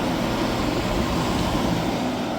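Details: Hyundai portable AC after leak repair and recharge (it had gone warm after two weeks), on 16° max cool and warming up: loud, steady whooshing hum with an even compressor drone and no knocks or rattles, running healthily.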